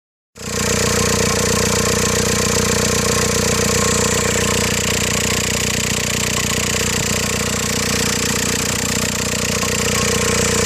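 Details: 2004 VW Golf TDI, BEW diesel, manual gearbox: steady droning transmission noise at idle with the clutch engaged, dropping away to a quieter, thinner idle when the clutch pedal is held fully down.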